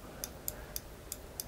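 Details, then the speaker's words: Peugeot 205 CTI throttle switch, engine off, paddle pressed by hand: crisp light clicks about three to four a second as the idle contact closes, signalling the engine is at rest; switch working normally. "on appuie dessus et vous entendez le bruit ça c'est le contact comme quoi le moteur est au repos"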